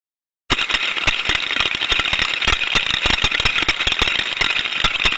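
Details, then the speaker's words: Ultrasound recording of a steam trap: rapid, irregular sharp clatter throughout, with a lot of mechanical rattling inside the trap body. Faulty internal mechanical components. "as we can hear from that sound recording that we're hearing a lot of mechanical sounds a lot of rattling around inside the body of the steam trap there"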